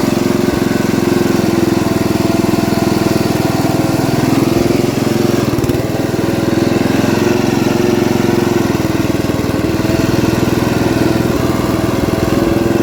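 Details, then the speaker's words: Ford LT80 riding mower with a small single-cylinder engine, recorded on a test drive before loading. It runs steadily but a loose, irregular rattle rides over the exhaust, source not yet found. Oil is full of gas and it won't shut off with the key; a new carburetor has been bought. "I'm gonna have to find out what that sound is too but let me throw in a video here real quick uh when I test drove it before we loaded it"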